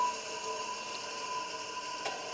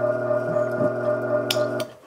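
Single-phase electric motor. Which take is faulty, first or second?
second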